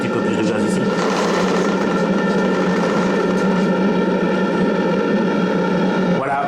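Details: Live-steam RC model boat (Bavaria project, 1.50 m) on its first heat-up test, gas-fired boiler: clean, steady whistle held about six seconds over the soft running of the steam engine; whistle sounds healthy.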